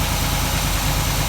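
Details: 1947 Ford street rod V8 idling after the intake manifold and distributor were reinstalled, with a leaking water pump gasket replaced; even, steady low rumble with no knocks or misses. It idles smoothly.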